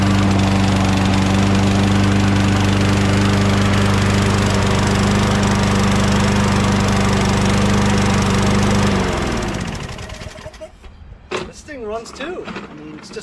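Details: Mower picked up on a tip; after spraying carb cleaner and adding gas it runs steady and even with a smooth drone for about nine seconds, then is shut off and spins down; healthy running.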